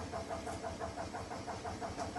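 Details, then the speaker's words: Indesit washing machine on spin: quick, regular squeaks about six a second over the spin rumble, caused by broken drum shock absorbers. "the reason for this is that the shock absorber are broken"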